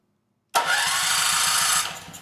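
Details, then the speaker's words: Powermate 5000 W generator, engine 185432-0606-E1, Briggs 715808 starter, after fixing too-tight Bendix-to-ring-gear clearance that caused binding: steady, even cranking whir, no grinding, winds down cleanly; Bendix extends and retracts, fixed. "Yeah, there we go. That sounds a lot better. Bendix comes out and goes back in."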